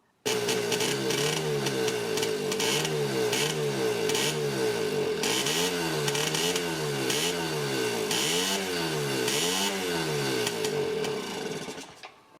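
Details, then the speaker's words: Yamaha QT50 moped (78 or 80), new correct spark plug, carburetor leaking fuel: uneven buzzing, revs surging and sagging; intermittent misfire, charge coil behind the flywheel suspected as the likely cause. "After consulting the Warlock Jack Rutherford Moped Wizard, we determined that the most likely cause for an intermittent spark issue on this QT50 is a charged coil located behind this flywheel right there."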